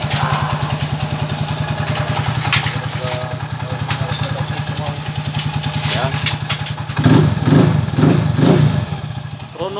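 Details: TMX155 single-cylinder motorcycle after overhaul and transmission set replacement for rough 1st and 3rd gear and loose crankshaft bearing: even thump at steady idle with clean throttle blips; running smooth and healthy.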